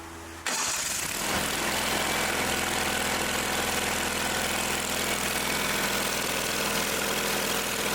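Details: Old Simplicity tractor engine after repair, restarted after tightening a leaky fitting where Teflon tape was suspected to have gotten in: catches within a second and settles into a steady even idle with no stumbles or hunting; runs normally.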